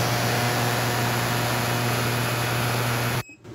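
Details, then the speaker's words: Ultrasonic cleaner with industrial degreaser cleaning the carburetor from a Homelite LR4300 generator with a Robin Subaru EY28 engine, using vibration to break up debris. Even steady hiss with a faint high whine; normal operation. "it just uses vibration to bust up any of the little debris in there"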